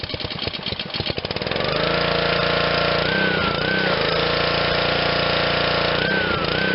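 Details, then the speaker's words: Honda GCV160 on Black Max 2600 psi pressure washer, restart after carb cleaning and fresh fuel: pull-start chatter catches on first pull into a smooth, even, steady run holding speed; works perfectly. "works perfect all right so uh just to give an example of in 2021 what forty dollars will buy you at a garage sale um just a few minutes of work probably could have got away with just uh spraying some stuff uh into the carb and putting new gas"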